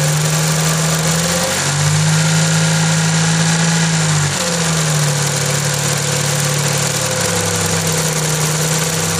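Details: Perodua Kancil idling with AC on: steady low hum from the AC compressor that drops out and returns as it cycles; abnormal compressor electrical noise.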